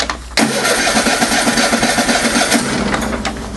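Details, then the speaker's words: Car in a Canadian cold snap, about -25 to -34°C, cold start. Engine catches briefly with a ragged, uneven sputter about four beats a second, then fades without settling; cold cranking, engine not catching. "I don't want to kill my starter okay I'll try it one more time and that's what happens when you guys live in Canada that's a daily battle getting your [ __ ] car going"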